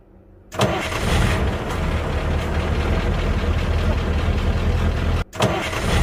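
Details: 1985 Ford F8000 with CAT 3208 turbo V8 diesel, unused since summer, started in cold February weather after starter solenoid repair. A short crank catches straight away into a steady, even idle, dips briefly and recovers, with little white smoke: normal cranking and start.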